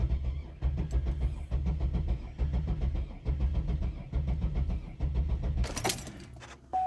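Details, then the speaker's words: GM 3800 V6 after coolant ingress, front three cylinders blown out, pedal held to floor: starter churns in steady bursts without catching, one brief flare that dies; flooded cylinders, fuel-soaked plugs. "no dice ooh almost went [Applause] almost turned over did you hear that it's trying oh so close maybe I could still just clear it out some"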